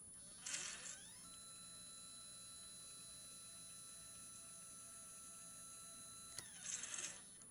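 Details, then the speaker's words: HEQ5 Pro equatorial mount, RA axis slewing on the stock gear drive before the belt drive modification: steady high-pitched whine with loud gear clatter at start and stop; noisy gear drive. "Pretty noisy when you stop it, at least."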